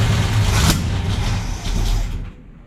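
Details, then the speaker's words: Camaro conversion build engine runs rough with a lumpy low rumble and a sharp early pop, then fades. Timing was first suspected, then traced to no fuel line fitted yet, so the carburetor was sucking air: rough running and backfiring from fuel delivery. "Oh, you know what? It's because you don't have a fuel line coming up here yet. It's sucking air at the same time."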